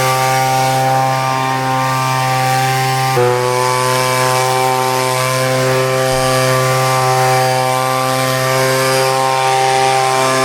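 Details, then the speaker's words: Leaf blower, a two-stroke, after a carburetor change. It gives a steady, even buzz that holds its revs without sagging; the earlier bogging down is gone. "That's better, you can hear the way the bogging down's gone now."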